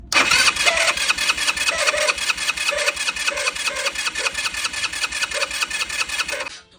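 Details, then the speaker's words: Worn-out starter motor makes a harsh, rattling whir with rapid regular pulses while cranking; the starter is failing and will be replaced with a new one. "son los ruidos que causa cuando nuestro exor Está ya en sus últimos como podemos ver este extractor está dañado"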